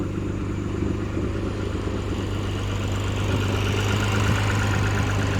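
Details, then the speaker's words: Lexus warming up at idle on 91 octane right after replacing the fuel rail pressure sensor; steady idle with a fast, uneven puffing tick over the low rumble from exhaust leaks on both sides; otherwise sounds healthy. "I know the car sounds a little bit weird. There is an exhaust leak right here, and as well as the other side."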